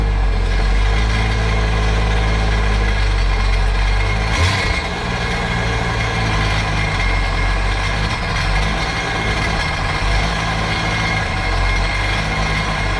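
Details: 2009 Sea-Doo GTX 215 supercharged jet ski after replacing dead cylinder-one fuel injector: steady, even engine note, no misfire or hunting; running normally.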